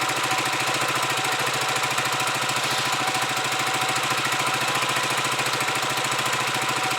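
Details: Huoniao HN125 Chinese motorcycle with newly fitted carburettor, warming up with choke off; steady even idle about three and a half beats a second, no hunting or misfire, idling better than before.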